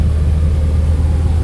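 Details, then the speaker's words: Jeep Wrangler TJ after reconnecting an unplugged intake vacuum port that caused HVAC defrost-only airflow and high revs between shifts: deep, steady, even rumble with no surging; normal idle after the vacuum leak fix. "Now we got it coming out here to the floor. Defrost now works. So now it all works. Now it's idling really nice too, which is great."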